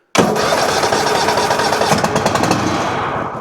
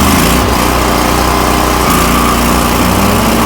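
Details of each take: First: Toro Titan MX5400 Kohler Confidant 23 hp V-twin, one plug lead off for testing: fires with ragged uneven running a few seconds then cuts out and dies; spark good on that side, other side suspected, later traced to failing ignition coil. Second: Toro Titan MX5400 with Kohler Confidant 23 hp V-twin after ignition coil replacement, blades engaged at full throttle: strong, even drone holding steady pitch, good blade speed, no bogging or rough running; fixed.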